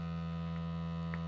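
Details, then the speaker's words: LG UP970 4K Blu-ray player playing a disc near its start: very loud steady low buzzing from the spinning disc drive; cause not confirmed. "you notice very loud very buzzing noise but then watch what happens when I skip a couple of scenes"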